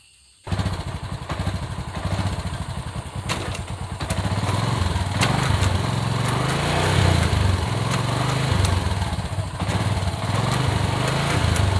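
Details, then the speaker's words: Motorcycle engine running with fast, uneven ticking clack from the front sprocket before repair; owner suspects dry sprocket shaft, first fix tried is lubrication, else flipping the sprocket. "kita coba dulu ya guys Kita tes dulu bunyi kletek-kletek nya kayak gimana ya"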